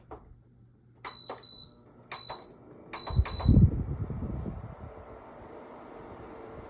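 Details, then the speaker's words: Large tower fan: loud control-panel beeps, then low rough hum swells as it spins up; abnormally loud, owner suspects the motor is messed up. "I think the motor on this thing is messed up because do you hear this? I've never heard a tower fan sound like that before."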